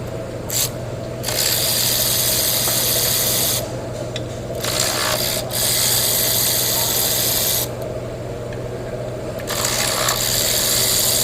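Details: Hyundai Elantra petrol engine idling with a fast, busy metallic clatter that surges and fades every few seconds; timing chain noise suspected, not confirmed.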